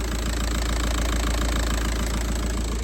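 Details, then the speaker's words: VW Passat B5.5 1.9 TDI PD130 (AWX) turbo diesel, just after turbo replacement: even, steady idle clatter with smooth rhythm, no whistle or misfire; slight smoke from oil spilt priming the turbo, engine running fine. "I don't know if you can hear me, but it's all running now."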